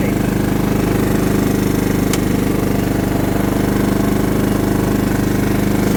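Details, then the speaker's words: John Deere LT150 mower with replacement 15 HP Kohler engine, freshly swapped and mowing grass: even, steady single-cylinder thump holding pace under load, no misses or knocks; runs well. "see all right she seems to do good we'll probably run it for a little while just burning all the oil off of stuff etc etc but uh she's ready"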